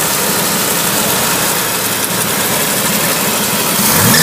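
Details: 1961 Willys Jeep CJ5 with 1957 Chevy 283 V8, manual choke, idle set slightly high for winter warm-up: fast, even idle with steady exhaust note, no misses, knocks or rattles; running smoothly.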